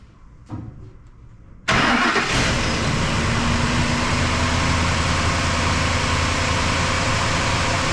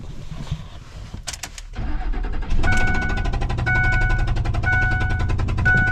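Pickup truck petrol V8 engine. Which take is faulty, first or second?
second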